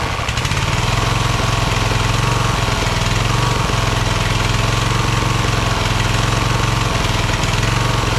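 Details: Craftsman LT1000 hydro lawn tractor, second rebuilt engine, after new EverStart U1-R 230CCA battery fixed no-start: loud, steady single-cylinder thrum at constant speed, no misses or knocks; normal running.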